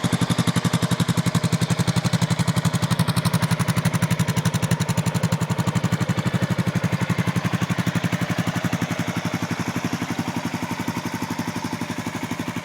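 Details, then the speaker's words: Suzuki 650 single-cylinder motorcycle, listed as a 1998 Savage 650 though the owner calls it a newer-style Boulevard; said to run well. Just after starting it idles with a steady, clean thumping beat at about four beats per second, sounding healthy. "Runs pretty well. You want to see it? Yep. Okay. I'll turn it on. Starts right up."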